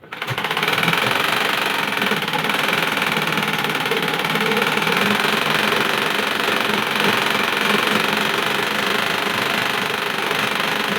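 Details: Sewing machine running with a harsh, loud mechanical clatter of about four knocks a second, from a nut and feed dog screw that work loose with use and let the part wobble.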